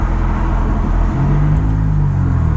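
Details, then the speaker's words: Ford Mustang EcoBoost with turbo kit and catback exhaust, resonator tips freshly welded back on at a muffler shop: accelerating through the revs gives only a soft, deep low rumble with no drone or rasp; the exhaust is now quiet. "Oh, you can't hear hardly anything now. That's crazy."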